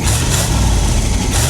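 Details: 1973 Ford F100 Ranger XLT, grandfather's truck, recorded with the mic down by the exhaust; deep, steady burble as the old engine idles on its own with no misses or knocks.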